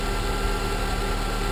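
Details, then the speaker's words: Honda idling while the owner tests an ECU theory with a different ECU installed, before warm-up: steady, even low drone with no surging or stumble; sounds much stronger, without the earlier lagging sensation. "so like I said it just sounds totally different it sound much stronger it doesn't have that lagging sensation"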